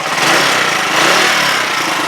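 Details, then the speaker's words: Huoniao HN125 small single-cylinder motorcycle, warmed up about 5-6 minutes after repairs: holds a steady, even idle with no knocks or misses and revs cleanly; rev counter still suspect but engine sounds healthy; normal idle. "suspect, but as you can hear, she's ticking over nicely. Revved nicely."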